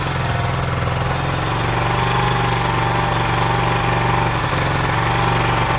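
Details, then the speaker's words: Sinnis SC125 single-cylinder bike started cold, choke off, idling fast and a little unevenly with the beat rising slightly. The owner suspects the idle is set too high. Revs also hang. He has tried the carb air-fuel screw. "could just say that i've got the rev set too high i think i've got a little screwdriver in my pocket"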